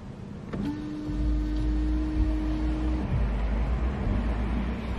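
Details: Rear wiper operated from the right-hand wiper stalk with the engine idling: a click, then a steady mid-pitched motor hum for about 2.5 seconds. The rear wiper motor sounds healthy.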